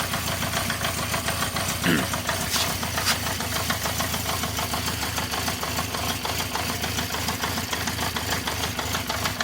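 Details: 1974 Honda CB350 Four, started on choke, with an uneven, lumpy, stumbling idle. It sounds like it runs on only two cylinders, then cuts out. The owner says it runs okay once warm. Blocked pilot jets are suspected.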